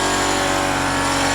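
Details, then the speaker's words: Toyota Celica GT-S engine idling with the hood closed: even idle with a raspy, weed-whacker-like buzz holding steady; idle vibration noise, possibly an engine mount, source unknown. "just gonna ignore it close the hood and we're gonna pretend whatever's making that gone awful noise goes away"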